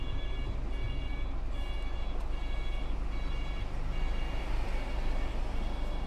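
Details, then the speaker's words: Truck reversing alarm: harsh, high-pitched beeps repeating steadily about every 0.8 seconds over a low truck rumble, heard from a lorry arriving at an unloading site in northern England/Scotland; described as an ugly, strange beeping. "Ach, da kommt ein LKW. Der hat ein komisches Piepen."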